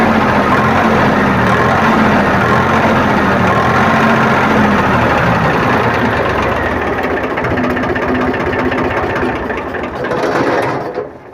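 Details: Powertrac tractor diesel after fuel pump drop timing set: loud clatter steady at high revs then winding down smoothly, no misses or knocks; normal revving.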